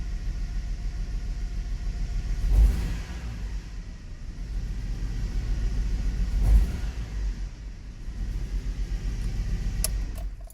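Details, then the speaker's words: Hummer H3 five-cylinder with one ignition coil unplugged for diagnosis: low uneven rumble, rattling and vibration, stumbling and dropping under light acceleration; misfire from disconnected ignition coil. "and the engine got that weird drop down when you give it a bit of acceleration so right now one of the coil is actually not attached to the engine"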